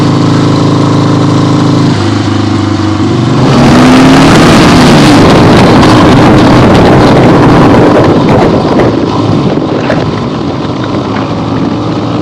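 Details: 1975 Harley-Davidson XLH Ironhead Sportster, freshly rebuilt and basically stock, camera clipped to the rider: steady V-twin idle, then pulls away on a test ride with a rising note under heavy wind rush, running evenly with no knocks or misses; healthy.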